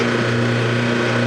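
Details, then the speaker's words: Whirlpool direct-drive washer switched to spin with the lid switch disabled: steady motor hum and constant low drone with no change in load or speed; the motor runs freely because the motor coupler is broken. "we have a direct drive whirlpool washer that has a broken motor coupler or coupling however you want to say it"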